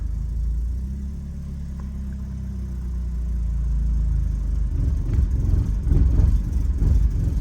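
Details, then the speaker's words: BMW E36 Compact, M4x four-cylinder, about 100,085 original miles, cold idle with no throttle right after start, no check engine light; fairly steady then lumpy, uneven surging thumps; rough idle that smooths as it warms; owner blames idle control valve, AFM seems to be working. "Yeah, the idle control valve is having some trouble. The AFM seems to be working. Okay. It's definitely idling rough, and I think that's strictly from the idle control valve."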